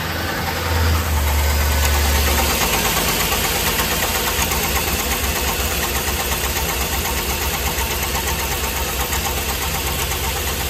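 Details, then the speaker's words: LS V8 idling with the valve cover off: a sharp, rhythmic scraping knock about three times a second, once heard as a squeak. The customer suspected the flex plate, which checked fine. Cylinder 7 misfires constantly. The cause is a wiped cam lobe and lifter on cylinder 7. "So we 100% know that that is our cam scrub noise. We've wiped the lifter on 7."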